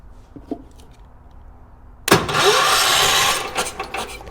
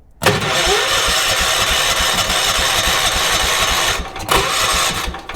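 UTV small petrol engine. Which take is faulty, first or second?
first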